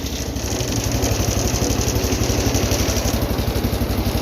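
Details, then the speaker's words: 210 lawn tractor after carburetor rebuild (leaking bowl gasket), air filter on; started without choke for the first time. Small single-cylinder thumping evenly about four beats a second at slow throttle, smooth, no misses or hunting; healthy idle, much better than before. "It's the first time it started like that. It's the best it's ran on slow throttle too."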